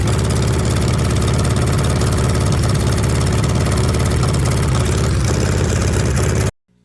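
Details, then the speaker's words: VW Beetle rat rod air-cooled engine at first start, carburetors untuned: low chugging idle with uneven loping beat, stumbles slightly then cuts off; rough idle. "It ain't right, I can tell that."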